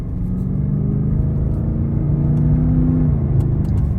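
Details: Cadillac STS on a test drive after replacing spark plugs and coil packs: smooth, even engine note climbing under acceleration with road rumble, no stumble or miss; no more missing, healthy.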